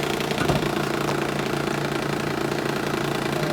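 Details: 2006 Honda Ridgeline, 256k miles, idling with AC on: rough regular knock about three to four per second, first feared engine, actually a worn condenser cooling fan, replaced with a used junkyard part.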